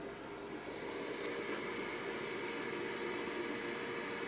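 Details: Sunfire heater after shutdown: steady airy fan rush with faint hum, no rattle or scrape, blower running evenly through its normal cool-down process.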